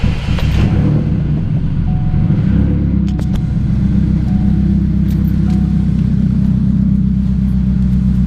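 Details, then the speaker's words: 2006 Chevrolet Cobalt SS, LSJ four-cylinder, with aftermarket exhaust, started after valve cover gasket replacement; steady even low idle rumble through throaty exhaust, no misses, ticks or knocks; normal idle. "so it sounds pretty good let me know what you guys think of the way this sounds so four cylinder lsj cobalt"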